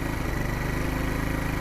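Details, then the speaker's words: Wolf Islander 50cc Vespa-replica scooter, cold after a kick start, on poor-quality gas, auto enricher still on: quick, steady putter with no misses; normal cold idle. "so we're gonna let it do its little warm up and put the kickstart away engaged it kind of wait for the auto enricher to come off"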